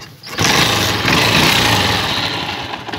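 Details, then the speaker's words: Motorcycle single-cylinder engine after valve (rocker) adjustment, idle screw deliberately turned down to demonstrate: fires up and settles into a low, slightly uneven idle that sags toward stalling; idle set too low. "por ejemplo le baje el mínimo para que tenga una idea"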